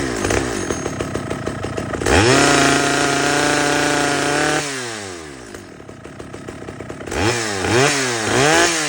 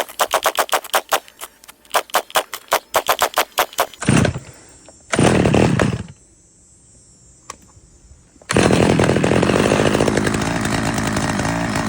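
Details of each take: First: Stihl 011 AVT chainsaw after bench adjustment of the low-speed fuel screw and idle: crisp throttle blips, then a steady, even two-stroke idle that holds without hunting or dying. Normal idle. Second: Stihl 011 AVT chainsaw on its first start attempt before carb tuning: sputtering, uneven pulls and bursts that surge and drop off, then a rough high run; the low-speed fuel screw and idle were then adjusted.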